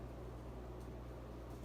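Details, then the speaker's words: Casablanca Four Seasons 48" K55 ceiling fan, possibly 1981, full speed on Slumber Quiet control, no wobble despite somewhat wonky flywheel: quiet steady low hum with soft air hiss, no ticking; normal running. "And it doesn't wobble one bit. Not at all. Even with the somewhat wonky flywheel, it does not wobble."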